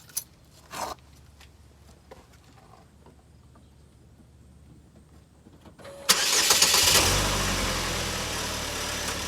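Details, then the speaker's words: 2012 Chevy Equinox after temporary sealant fix of a cracked exhaust pipe behind the passenger door, cured 30 minutes: engine cranks, catches and settles into a smooth steady idle, no leaks felt, quieter than before the repair. "I don't feel any leaks already I can tell there's a difference in the noise from before and now"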